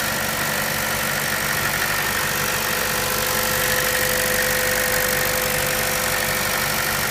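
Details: 2013 Chevrolet Cruze Eco at idle: smooth idle with a fast, light ticking about four times a second. This is normal injector and valvetrain clicking, which the dealer says is normal.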